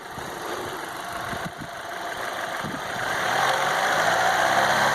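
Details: Chevrolet Aveo T250 chased for an engine whistle traced to an air leak; with the removed vacuum tube plugged, the engine climbs smoothly from idle through a light rev with no whistle or hiss. Hydraulic lifters are still suspected of jumping.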